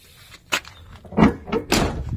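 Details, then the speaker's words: Chevy truck door after spraying PB Blaster penetrating lubricant into the hinges: swung and shut with soft clunks and a latch thud, no squeak or creak, and it opens lighter than before. "so much better bro look look look look look so much better hey and it's even lighter dude door's even lighter oh look at that no sound baby"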